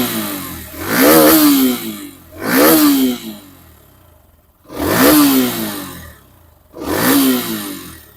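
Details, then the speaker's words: Hero Xtreme 125R, revved repeatedly up to about 9000 rpm: four clean blips climb and fall back smoothly to a quiet idle with no knocks or rattles; healthy, free-revving engine. "सुनी आपने engine की आवाज मतलब मैंने 9000 RPM तक में लेके engine को रैव कर रहा था हाई रविंग कर रहा था तो आपने इंजन की बात सुन ली आई होप आपको समझ में आ रहा होगा कि इंजन काफी स्मूथ रहने वाला है"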